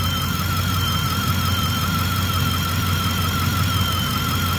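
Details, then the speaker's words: 2010 Ford F-150 5.4 (E85) running with a constant piercing squeal over the engine rumble from the alternator area. Owner suspects alternator bearing noise, checked with a screwdriver to the ear, but is not convinced the alternator is bad. "we've got that alternator squealing sound"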